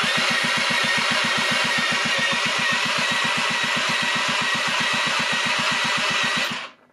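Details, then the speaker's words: 1996 Rexy 50 two-stroke scooter barn find, unused for 13 years: brisk, even electric-starter cranking at about seven pulses a second to spread the oil added to the engine; it spins freely with steady compression. "lass wir mit dem Elektrostarter ein bisschen drehen das hat das Öl was ich ihm reingegeben habe gut"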